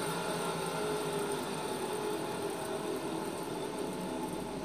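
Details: 2014 Citroën C3 1.5 8V flex-fuel rolling, a steady droning hum under road noise from a worn rear wheel bearing, to be replaced.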